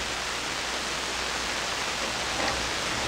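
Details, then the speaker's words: SP-600 communications receiver, first power-up with rebuilt RF deck, supply 92 V (low), headphones: steady even hiss across the band, no tones, voices or carriers. Hiss with no stations received. "Come on, come on. Nothing. Shame. Why? Why are you doing nothing?"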